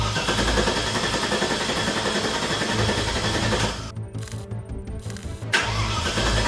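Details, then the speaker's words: Abandoned 2003 Land Rover Discovery 2 after new inertia switch, spark plugs and cleaned catalytic converters: starter churns steadily about three and a half turns a second but never catches; crank no start, owner suspects fuel starvation, cause unknown. "That is not good news. I am not sure why it's not starting."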